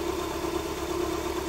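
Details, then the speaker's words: Honda Civic 1.7, 2001–2006, with no check engine light, at cold idle: an uneven, shaky idle with a stumbling exhaust beat as the engine vibrates heavily; a cylinder is misfiring, fixed by replacing the ignition coil and servicing the spark plugs. "o motor tá vibrando muito e eu vou desligar ele aqui tá"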